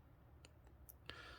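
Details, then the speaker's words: Timex Q Reissue 38mm quartz watch (TW2T80700), crown pulled out and turned backwards trying to change the day: four faint crisp clicks in a quiet room; normal crown ratchet, movement doesn't allow backward day change. "but when you try to turn it backwards where usually you can change the day you can just hear that clicking"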